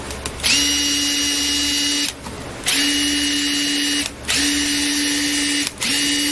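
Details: Makita DTD146 cordless impact driver after full maintenance and hammer case greasing: three even bursts of about 1.5 s, steady pitch and smooth rapid hammering; earlier odd noise, possibly from lack of grease, gone; healthy.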